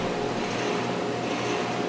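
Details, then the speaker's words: Heat pump outdoor unit after replacing a weak run capacitor for the PSC fan motor: smooth steady whoosh of air with faint even hum, no rattle or excessive noise; fan turning normally, heat pump working. "there she runs no more noise fans turning heat pump is working"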